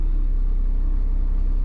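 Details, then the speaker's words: 1995 Honda Civic Si hatchback, recorded inside the cabin at idle, after fitting solid racing-style eBay lower motor mounts replacing OEM: heavy pulsing low drone, dashboard shaking. Cabin vibration from solid motor mounts. "n thought so you know when when you're inside I mean my whole dashboard is is shaking and now you just feel that like that a vibration and you get that too"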